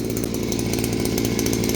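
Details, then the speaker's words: New small four-stroke engine bought on Temu, not yet broken in, running; fast, steady buzzing with an even beat and no misses or knocks, judged to run good. "I'm going to call this not broken in, but I'm going to call that guy runs good."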